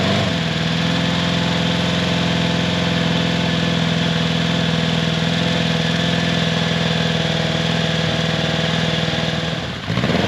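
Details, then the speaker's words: Honda CB750 four-cylinder, long unused, first start after carburetor cleaning, synchronizing by eye, new float needle and new battery: fires first try but idles low and slightly lumpy; uneven idle, carbs need more tuning, maybe idle screw raised. "so it sounds like the carbs need a little bit more tuning i may need to turn the idle adjustment screw up but wow just first shot that thing fired right up"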